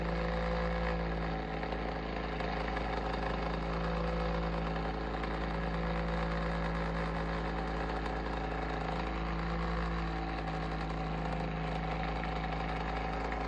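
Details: Bionaire Ceramic Heater Tower: constant low hum with a faint uneven flutter and rattle running through it; the heater fan motor sounds abnormal, cause not known.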